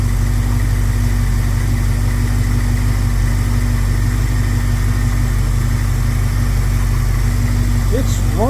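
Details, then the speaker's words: 1971 Plymouth Scamp V8 at idle, timing unchanged: low, even throb with no misses, knocks or ticking, running very smooth; normal idle. "amazing how well it runs with the no vacuum doesn't sound like she's missing sounds like gold"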